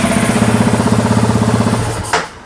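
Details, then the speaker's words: Honda Wave fitted with a CBR300 engine, running the stock CBR300 ECU file, idling at about 1,700–1,900 rpm: even, quick pulsing idle with steady firing and no knocks or misses, then switched off; normal stock idle. "อ่ะลองสตาร์ทดูนี่คือเดิมๆนะครับรอบเครื่องเดิมๆของCBR300จะเดินไปอยู่ที่เนี่ย1,7001,8001,900นะครับประมาณนี้"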